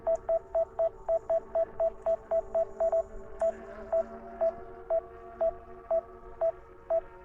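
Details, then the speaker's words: DJI Mini 5 Pro controller during a waypoint mission at 0 degrees, drone hovering and refusing to land on return: sharp single-pitch beeps about two per second slowing to one per second; warning of unknown cause. "I don't know why it's still beeping. Okay. There we go. We stopped it from beeping. We can come in. Oh, we're beeping again."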